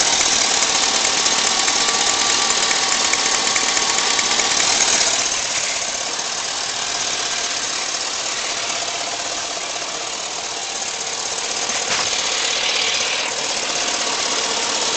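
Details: Engine at operating temperature idles with a steady tapping knock, about three beats a second, over a bright clatter, heard on the driver's side. Engine knock at idle, cause unknown.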